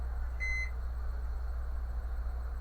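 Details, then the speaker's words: Brastemp microwave switched on: a short start beep, then a loud, steady low buzz. Current to the magnetron measured normal; a faulty magnetron is blamed. "É porque quando ele fala uma zoada sendo que vai que vai ligar ele noventa porcento das vezes é magnetron tá"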